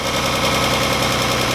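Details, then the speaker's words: The 300, coil packs being pulled one by one: short clip of uneven idle with a regular stumble every few beats and a rough shake; misfire. "doesn't sound great something's going on here this is this is ridiculous this is crazy"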